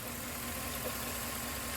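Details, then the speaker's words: 2011 Chevrolet Tahoe V8 at idle, P0300 with constant misfire on cylinder 3 (non-AFM cylinder) after new plugs, wires and coil: uneven lumpy thud and stumbling beat, not a typical GM lifter tick; injector suspected, internal engine fault later suspected. "Looks like we got a constant miss. Don't really hear a lifter."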